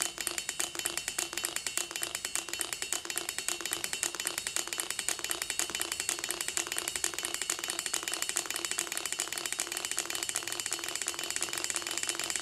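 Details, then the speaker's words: Gatling Stirling engine with six displacers, after a broken glass liner was replaced; fueled and test run. Quick, even stream of light clicking as it runs steadily on its own, no stumbles or rubbing; runs fine. "Fuel it up and give it a test run. See it move a little bit on its own, that's a good sign."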